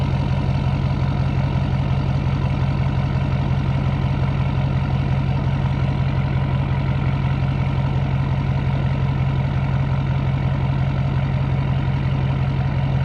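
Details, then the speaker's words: 2012 Ford F550 6.7L Powerstroke diesel at idle before the resonator install, mic 16 inches from the exhaust tips, about 88 dB: steady, deep idle with even low pulses near 170 a minute and no misses or knocks; a normal exhaust note. "This is without the resonator, by the way. So just gonna be, this is how it is before the resonator. You are 16 inches away from the exhaust."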